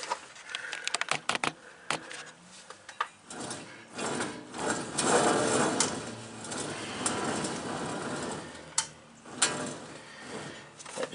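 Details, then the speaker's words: 2017 Ford F-150 4WD with ABS codes C0031 and AdvanceTrac/hill assist faults: hand-spun front hub gives a dry gritty rasp between clicks and knocks; worn front wheel bearing, hub replaced. "all right well this thing needs a wheel bearing do you hear"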